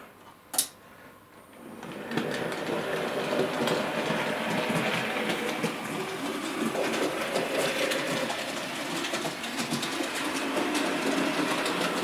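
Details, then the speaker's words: A.H. Peppercorn model locomotive after replacing faulty drive wheels, running in reverse: even light whirr and steady ticking, clunking gone, quartering correct, running smooth. "and obviously you can hear it's running absolutely fine and the important thing is to get the quartering right"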